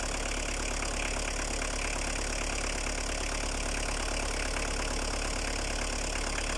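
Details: Opel Astra I 1.7 atmospheric diesel, Bosch VE pump, 150,000 km, cold start after sitting two years: steady diesel clatter at even idle, no misses or hunting; normal diesel idle.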